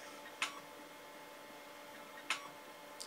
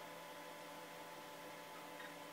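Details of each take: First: Amstrad PC 286D 1980s hard drive under DOS: sharp isolated ticks about two seconds apart over a quiet steady hum, followed by a 'seek error reading drive C' message; classic head seek error. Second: Vintage 1980s hard drive on slow DOS system, after seek-error repair by low-level format mapping out bad sectors: quiet steady hum, no clicking or scraping seeks while loading a game; normal operation.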